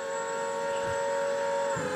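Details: Solectrac 25G electric tractor with the electric hydraulic pump just switched on: steady, even mid-pitched whine without wavering or grinding; pump running normally.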